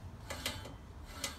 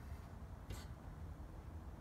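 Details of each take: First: Scott Bonnar Model 45 mower cutting reel spun by hand during install and setting. Light, irregular ticks as the blades catch the bedknife unevenly, too tight on one side and too loose on the other; needs adjusting. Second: Scott Bonnar Model 45 cutting reel spun by hand while the bearing-housing screw is adjusted down; faint light ticking as the blades just touch the bedknife, the correct setting.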